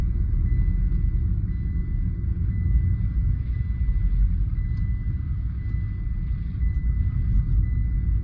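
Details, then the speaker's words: Tata Altroz, downshifting from fifth gear after replacing the broken input-shaft fourth-gear needle bearing, which failed from poor oil maintenance: a steady low road rumble with no whine, clunk or grind. The gearbox sounds healthy and is now correct. "Down பண்ணும்போது தான் கியரோட complaint எதனா தான் ஈஸியாக தெரிஞ்சிடும். இப்போ கரெக்டாக இருக்குது."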